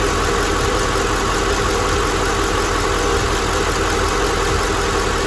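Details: Mercedes W211 E500 swapped from M112 to a contract M113 5.0 V8 from an S500 W220, 7G-Tronic: smooth, even V8 idle with a steady low burble, no ticks, knocks or misses; engine healthy.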